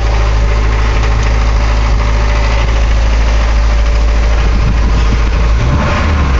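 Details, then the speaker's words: Mercedes 240D diesel with white smoke: loud steady clatter held at raised idle that will not settle lower; high idle, cause unconfirmed. "the smoke and that's about lowest sh idle so idle about she idles down about like that"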